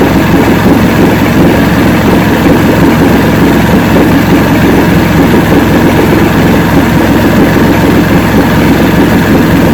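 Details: 1970 85hp Evinrude two-stroke outboard with hydroelectric shift, 50 years old, new water pump impeller, idling in neutral in a water container: steady even low rumble, no misses, surges or knocks; carburetors judged good at idle.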